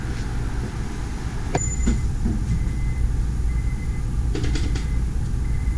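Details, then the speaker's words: Honda S2000 engine cranked on the starter with spark plugs out, fuel off, no coils and throttle closed, so it turns easier and gets lubed before the first start. Smooth, even starter whirr with no compression chuffs or firing. Normal plugs-out cranking. "I wanted to crank it over without any plugs in it. That way it cranks over a little bit easier on the engine."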